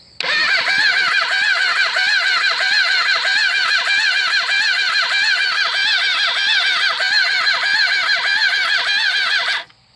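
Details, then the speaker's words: Engine cranking with all plugs in after low compression readings and a camshaft swap: slow, laboured cranking at about three strokes a second, each turn dragging hard; owner blames a worn starter but suspects crankshaft or connecting rod bearings, the connecting rod bearings later found going. "Hey, that's pathetic. It's either the starter and the way it's turning over hard."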